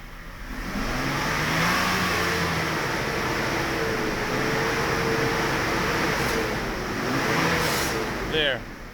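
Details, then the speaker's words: Mercedes 600SEL V12 revved up and down with an uneven, stumbling note; intermittent misfire, cylinder 10 worst and cutting in and out, cylinder 7 misfiring occasionally, at times running on 11 cylinders. "so the tent is back and now it's misfiring again so this is the situation"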